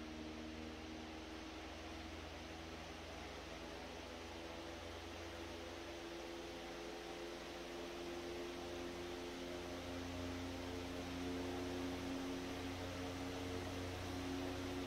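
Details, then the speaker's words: 100-plus-year-old restored Century S-3 Model 15 desk fan on high via dim bulb tester (200 W bulb, likely about 110 volts): smooth even hum slowly climbing and settling as it reaches speed; normal running. "I think it's still climbing. I think that's about leveled off where it's going to be."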